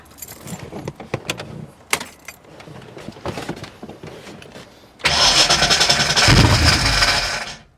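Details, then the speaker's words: 1989 Ford Mustang GT first start after sitting over 10 years, fresh oil, fuel flowing in and out of the rail; keys rattle, brief crank, catches and settles into strong even run: normal start. "Oh, let's freaking go. Let's freaking go."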